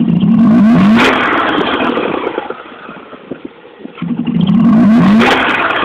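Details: Mazda RX8 rotary with owner-reported knocking: two lazy rev-ups from low rpm falling back to idle, slow to pick up revs at low rpm, cause unknown.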